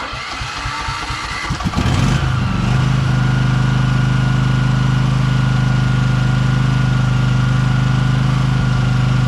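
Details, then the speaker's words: Briggs & Stratton Vanguard 23 hp V-twin on a Husqvarna tractor, sat about a month: several seconds of cranking, catches, then settles into a smooth, even idle; normal start and idle. "It's a great engine, 23 horsepower Vtwin Vanguard, but like I said, I'm not going to use it, so let's see if it starts up."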